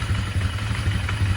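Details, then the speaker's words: 1999 Polaris Sportsman 500 after a fuel pump replacement, carb tuning and airbox refit: it idles low and steady, but a light, uneven rattle comes from the brand-new clutch. Cause unknown. "took got a little noise in the clutch I got to figure out it's brand new clutch just got a little rattle to it not sure what's going on"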